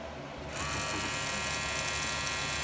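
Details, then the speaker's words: Wahl clipper with red premium guards: high buzzing hum with thin metallic rattle from the guard's loose little metal clip; fixed by adjusting that metal piece. "I got three different ones right here that I rattled so if this is going on with you guys is guards there's the video to watch on how to fix it"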